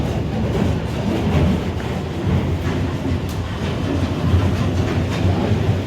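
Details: Grain-bin pit auger with a newly replaced 480 V motor, running the correct counterclockwise direction: steady heavy rumble with busy, even clatter of moving grain, sludge and buckets, no grinding or squeal; the auger runs normally.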